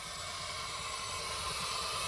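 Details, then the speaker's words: SN95 Mustang fitted with a cheap eBay radiator and a fan wired incorrectly, engine overheated: steady hiss and low bubbling gurgle with no engine rhythm. Coolant boiling, leaking at the hose clamps. "I hear it boiling no balls open the radiator bro chill"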